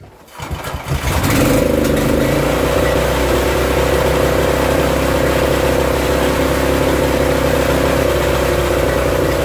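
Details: Barn-find Honda GX340 generator engine on a homemade CDI ignition, rope-started with extra choke: catches within a second, then a steady, even beat with constant hum under electrical load; working fine under load, though hunting remains unresolved.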